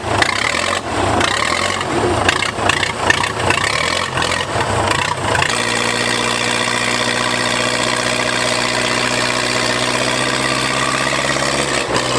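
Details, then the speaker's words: Old Case bulldozer: rough cranking and catching, then a loud, steady, even unmuffled diesel idle with no knocks or misses. Normal idle. "it's run we think about that motor sounds good yeah putting a lock it loud"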